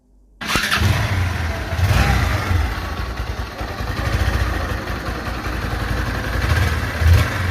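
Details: Older Bajaj NS/RS-series bike engine: it catches and settles into a low, uneven idle with a light tick on top. Loose valve tappet clearance needs adjustment.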